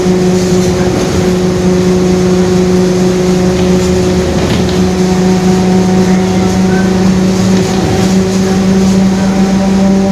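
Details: 2021 Marcopolo Torino S bus on Mercedes-Benz OF-1721 Bluetec 5 chassis, driving: steady low drone with a constant whining band near 200 Hz under drive noise; rear differential growling.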